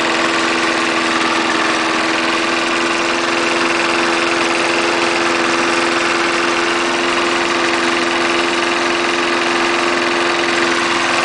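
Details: 1974 Snapper lawnmower with 3.5 hp Briggs engine, air cleaner off, started right up after adding new gas to a dry tank: constant steady buzz, no missing, surging or knocking; no stalling, throttle being played with; runs great.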